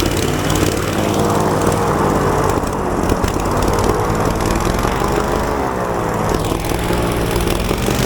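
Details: Falcon four-stroke paramotor trike on a new NOCO lithium LiFePO4 battery, just started with throttle: loud, steady engine drone with a slight pitch swell mid-clip, no misses or knocks; normal running.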